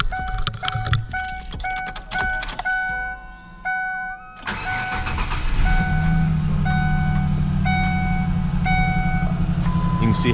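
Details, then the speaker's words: 2002 Ford Ranger started cold and shut off before warming: door chime, then a lumpy, stumbling idle that shakes the hood. It is misfiring badly from a coil pack soaked by coolant, traced to the heater-core tee. The coil pack, plugs and wires are being replaced. "much that hood is shaking there we are miss firing we are misfiring really bad and i'm gonna cut that off before it heats up but we are misfiring terribly"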